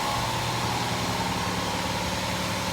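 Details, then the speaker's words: 2008 Honda Fit after welding its broken-off resonator: a steady idle with a raspy, hissing chuff. The muffler is cracked all the way through and is probably also leaking exhaust. "muffin is seriously cracked all the way i think i probably should hit this up too i'm gonna ask my boss see what it says i might end up hitting this up too because i don't i don't like that crack and it's probably leaking from there too"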